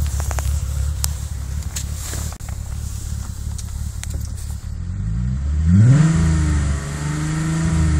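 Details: VW VR6 12V at idle, misfires on cylinders 2, 3, 6 (mostly 3) despite new coilpack, plugs, wires, coolant temp sensor and purge valve; stumbling uneven idle with irregular low thump then a quick rev; rough idle misfire.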